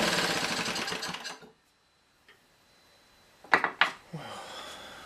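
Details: Old, worn Clinton B704 engine, before the carb clean: rapid rough firing for about a second and a half, then it quits and goes quiet; runs only on fuel sprayed straight into the carburetor.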